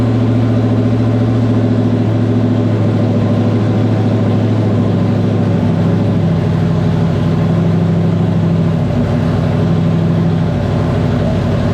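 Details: 1994 Terry Labonte Oldsmobile race car V8 after replacing bad spark plug wires and plugs (spark had been seen jumping from a wire): deep, even burble with smooth throttle rises, no misfire or stumble; normal idle and revving, running strong and smooth.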